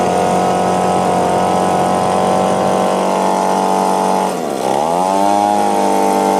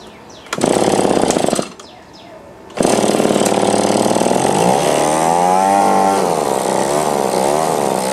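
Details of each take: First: Echo PB-2520 two-stroke blower, carburetor mis-adjusted by owner, choke on at start: high buzz sags and surges unevenly at full throttle, laboring, won't idle; clogged carburetor screen suspected. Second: Echo PB-2520 two-stroke blower after carburetor cleaning and reinstall: fast buzz settles to a steady, even idle, then revs rise and drop cleanly without stumbling; running normally.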